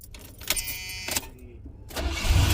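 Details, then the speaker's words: Cadillac 425 cubic-inch V8 with new NGK plugs and new Optima battery, key start: catches immediately and settles into deep low rumble; clean, healthy quick start. "Tuhan, langsung nyala cepat. Wow."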